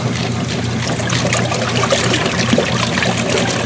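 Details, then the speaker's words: Free used Kenmore 80 Series three-speed washer tested on fast agitation: steady water sloshing and splashing over a faint low drive hum; exceptionally quiet, very smooth running, normal. "you got more sound of the water splashing around than you do of the machine running this one is exceptionally quiet i wonder if it has a quiet pack or something it just it's very smooth running"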